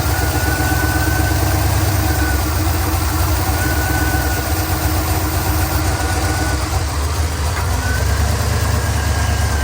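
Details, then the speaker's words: Boosted Crown Victoria V8 idling after its intake blew apart. Brake cleaner sprayed under the intake manifold, between valley cover and intake, makes the steady idle sag and load up as the unmetered fuel is drawn in, confirming a vacuum leak. "You can hear the engine RPM kind of come down, the engine kind of get loaded up. And like I said, that's indicative of the engine inducing that fuel. It's not accounting for it. Just like how it's not really accounting for this added airflow from the vacuum leak."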